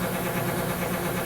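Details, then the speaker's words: 24 V 150 W shower water booster pump; steady hum with a fast, uneven rattle; owner says the impeller inside has started to come loose with use. "which is a sound similar to the propeller inside It started to become loose after using it for a while. With a sound like this, I recommend that you try another brand."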